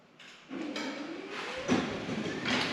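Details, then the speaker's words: New Genie 6172H-0 wall-mount smart jackshaft opener running C.H.I 5916 insulated steel doors with nylon rollers and 15-inch radius track: soft motor hum rising gently in pitch with quiet rolling, about 40–45 dB; normal, quiet operation. "All right, there you go. You can see this is much quieter. It's about 40 dB, maybe 45 dB."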